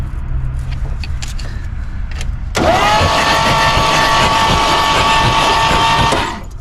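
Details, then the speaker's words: 1964 Pontiac Grand Prix 389 V8, cranked with all spark plugs out: fast, even starter whine, engine spins over smoothly with no compression chuffs; turns freely. "did uh pull plugs all plugs out of it and gotta crank over it does spin over sounds good"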